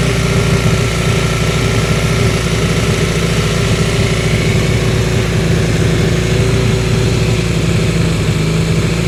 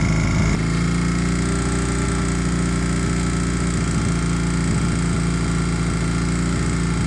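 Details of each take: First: 1981 Honda CM200T after carburetor cleaning and restoration, before further tuning: steady but thin, hissy run at raised revs as the carburetor still draws too much air; lean running. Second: 1981 Honda CM200T twin after its carburetor was cleaned and restored: even, steady low putter with a smooth rhythm and no misses or knocks; normal idle.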